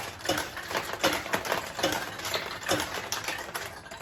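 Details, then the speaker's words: 1973 Nishijin Model A "Rolling Stone" pachinko machine after restoration, in play with a handful of balls: rapid uneven metallic clicks and ball rattles several times a second; losing balls drop into an internal tray that refills play, so no catch box is needed. Mechanism works normally. "The losing balls go into this tray. They do not exit the machine, so you don't have to worry about having any kind of a catch box on these particular machines."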